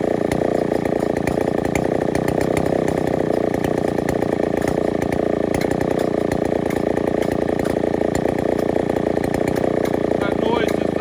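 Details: Neotec NS8105 chainsaw, Stihl 070 clone, big two-stroke with 25-inch 404 bar: loud even scream holding steady revs over ten seconds with no stumbling; healthy running.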